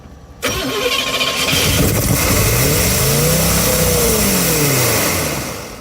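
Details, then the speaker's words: 1971 GMC 3/4-ton Camper Special V8, off the road about 18-20 years, new fuel line and filter feeding the old pump; catches, revs unevenly, then dies as fuel runs out. Pump not pumping, suspected expired pump or clogged tank pickup sock. "Oh yeah, that pump's just not pumping. Could be the tank, could be the sock."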